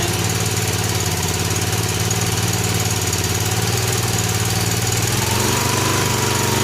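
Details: 1965 Honda E300 generator, single-cylinder, after restoring spark, throttle slowed: even, steady putter whose pitch drops slightly as it settles low; runs well but makes little power that low.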